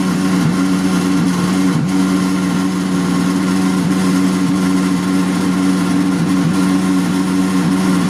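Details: Frigidaire dishwasher: loud, steady low drone with constant pitch and no change in rhythm; motor or pump humming abnormally while running, cause unknown.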